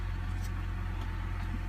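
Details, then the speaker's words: BMW after cleaning carbon from the throttle actuator with carbon cleaner: a low, steady idle hum with no surging, RPM no longer jumping as before (it had stalled at stops); the engine light is still on. "this is how it how it feels now when I turn it on that's how my RPMs um look like now they're not jumping no more like how they were before"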